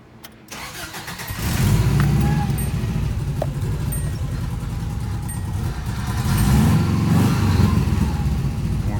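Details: 1982 Subaru BRAT, 1.8L EA81 pushrod boxer with gear-driven cam, 133k miles, new 32/36 progressive Weber carb, cold start: quick crank, catches immediately when key turned, settles into steady even idle; normal healthy cold start, oil pressure up.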